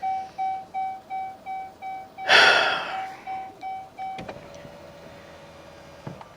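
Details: Dodge Charger after dead 12-volt battery recharged, won't start or shift: high chime repeating about twice a second, then a louder sweep and quieter tone; screen shows low battery voltage warning. Dashboard warning chime.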